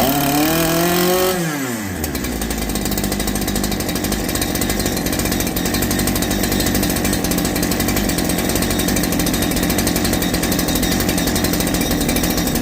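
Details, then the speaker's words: Holzfforma G372 chainsaw after crankshaft seal replacement fixing a factory air leak, chain off: after a blip the two-stroke settles into a steady, even buzz without hunting or surging; now responds to tuning. "I need to put the chain on it to be able to tune it but it's actually responding to what I do now before it was all over the place"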